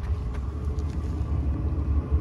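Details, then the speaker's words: Diesel heater in a converted Royal Mail van, exhaust heard from under the van: a low, soft, steady pulsing rumble with no rattles or spitting. The exhaust opening must stay clear because it draws in air. Normal operation. "The exhaust is under there, bellowing out. Got to make sure that that's open, as that's where it draws the air in. You can hear it working away there now."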